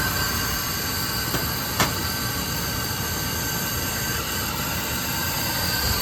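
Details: Oil burner that stopped after an oil delivery, after filter and nozzle replacement and line bleeding: one brief tick then an even, steady roar with no pulsing or sputter; burner lit and firing normally.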